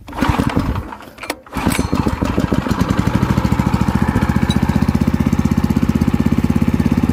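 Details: Water pump engine (alkon) that had been losing ignition suddenly: tilted position starved the low-oil sensor, so it was levelled and the yellow oil-sensor wire unplugged; a couple of cranking tries, then it fires and settles into a quick, even single-cylinder beat with no misses; starts and runs fine.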